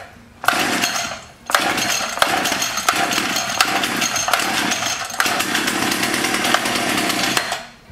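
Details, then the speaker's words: Echo HC-1600 hedge trimmer after long sitting: high-pitched two-stroke screams at full throttle but stutters and sags in uneven surges; carburetor problem, with old water-contaminated fuel found in the tank. "So you know what that tells me? Carburetor problem. Carburetor!"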